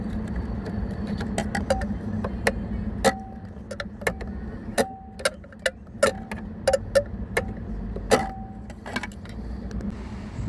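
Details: Right-hand-drive Tesla Model 3 driving with sharp irregular ticks and light jangling rattles from the dashboard over low road hum.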